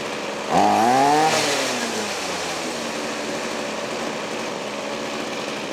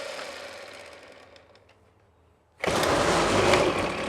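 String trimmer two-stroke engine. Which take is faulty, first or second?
second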